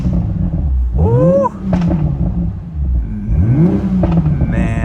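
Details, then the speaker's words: 2020 Toyota Supra salvage rebuild, fully warmed up, revved: crisp rising and falling revs with sharp pops on the overrun, quick return to idle, no radiator leaks; the engine runs normally. "this thing pops so nice listen to this that sounds so sick so i completely warmed it up and everything seems like it's perfectly fine it's running good"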